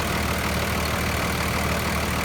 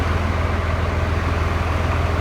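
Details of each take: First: 2008 Ford F350 with a Cummins swap, stock, checked for blow-by: steady diesel clatter at idle, even rhythm, no misses or huffing; no blow-by felt (only radiator fan air), no smoke, normal idle. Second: 2008 Ford F350 with a Cummins swap, electronic pedal converted to a cable pedal, which makes it really touchy: steady diesel idle with an even low thrum, no clear rev blip heard; oversensitive throttle pedal.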